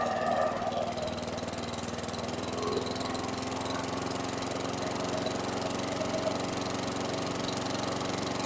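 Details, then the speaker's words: 2008 WeedEater 22" mower, Briggs & Stratton 500 series 158cc (10T50), flooded under six feet of water, after maintenance: steady even putter at constant speed, no misses or surging, still smoking from oil in muffler; running normally. "Okay, fantastic. still smoking, but that's fine. If you saw all the oil that was pouring out of there, this thing might smoke for a minute or two."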